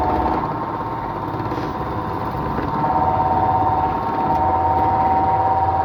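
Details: Washing machine rated 1200 rpm spins with a steady drum sound and thin whine settling at one pitch, sounding like 1000 rpm, slower than rated; cause unknown.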